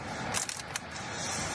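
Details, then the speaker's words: Mercedes GLS while driving and turning: a few sharp, dry creaks and cracks over steady road hum as the cabin plastic trim creaks under any pressure; interior trim creak. "All this car is cracking and creaking, all this plastic. Did you hear it? If this plastic interior feels any pressure, even if you just turn, you hear this sound."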